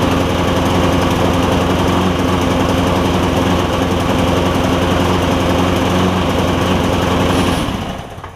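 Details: Lowe's MTD push mower with Briggs 5.25 Quantum engine that smokes, runs rough and spits gas out the carb: fast uneven chuffing, lumpy rich idle before dying; owner suspects tight intake valve clearance.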